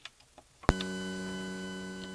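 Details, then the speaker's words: Novation Circuit Rhythm connected to a laptop through a USB sound card with a 3-pole audio cable: a click, then a steady multi-tone buzzing hum that grows louder when USB power connects. Ground loop noise, eliminated by a ground loop isolator. "이 3극 오디오 케이블을 이용해서 연결을 해주면, 전원을 연결하지 않은 상태에서도 노이즈가 지금 들어가고 있어요."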